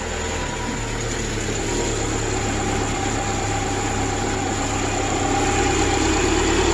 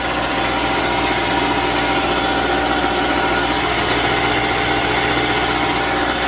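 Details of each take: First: 2010 Subaru replacement engine idling after install, coolant 53 degrees, idle a little high, battery low: slightly uneven pulse and shake under steady drone, running rough with a little smoke and smell being burned off; no check engine light, nothing leaking. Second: 2010 Subaru replacement engine with 87,000 miles, installed after the original overheated and failed: steady, even idle with smooth unbroken hum and no knocks, misses or rattles; engine running healthy.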